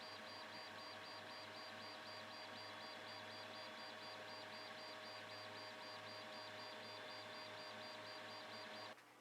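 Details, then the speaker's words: Geeetech Pro B 3D printer on a test print with the original A4988 stepper drivers, before the upgrade. Fan hiss dominates, with faint pulsing high chirps from the stepper motors. Normal stepper motor noise during printing. "here's just a quick test print to show you the noise difference again the fan is a lot of it but you can kind of hear the motor noise as well"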